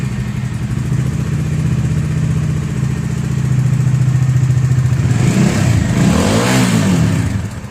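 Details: Bajaj Dominar 400 BS6 after engine noise repair: even low idle thrum with a short clean rev blip, no chain slap rattle; guide noise may remain, guide replacement still needed.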